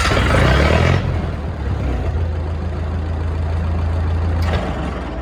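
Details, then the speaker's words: Lincoln SA-200 welder, Continental F163 engine, just after a Marvel Schebler carburetor rebuild: low, slow drone with a steady beat about four per second. Low idle rpm is slightly too low, so the exciter may not produce enough output. "well I think she might be good so I don't know if you can hear it like I can but those low idle RPMs are just a just a Teensy bit too low"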